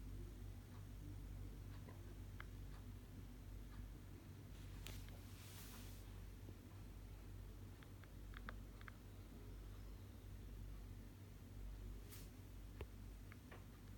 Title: Weird Popping noise from Apple MacBook Pro 2018 right-side fan! (Earphones recommended)